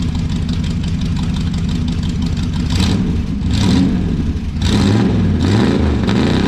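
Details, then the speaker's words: 1968 Chrysler Newport V8 with a newly finished homemade exhaust. The burble climbs smoothly with each throttle blip and settles back without stumbling: normal, healthy revving. "I'm going to rock it out a little bit let y'all listen to it"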